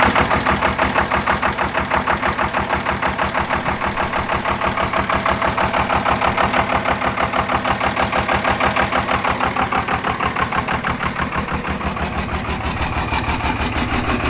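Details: Second-gen 24-valve Cummins diesel with injector lines cracked to bleed air; steady cranking about three beats a second with uneven catches and missed firings, hit-and-miss hard start from air in the injection lines.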